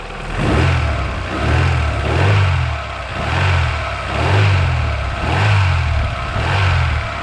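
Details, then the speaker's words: Daewoo Lanos engine blipped about once a second, with a dull knock on each rev rise, less when cold and more when hot, present about two months per owner; crankshaft knock suspected, not confirmed. "мое предположение что это постукивает коленвал"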